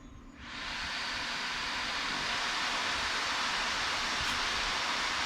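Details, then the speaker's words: Acer Predator Helios 300 laptop fans in turbo mode after cleaning and greasing with white lithium grease, GPU fan has metal blades: quick spin-up to a steady, even high rushing whoosh, no rattle or grinding; earlier fan noise gone. "Oh, that's the normal sound of turbo. I don't hear the sound anymore. Nice. It worked."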